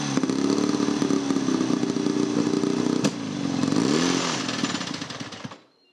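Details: 1937 Scott two-stroke motorcycle with sidecar, first start after over 20 years stored in a barn: uneven, stumbling beat with revs surging and sagging before dying out, smoky; running rough, not clean.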